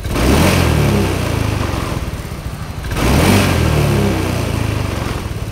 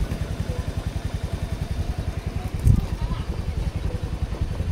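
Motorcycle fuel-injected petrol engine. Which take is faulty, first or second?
second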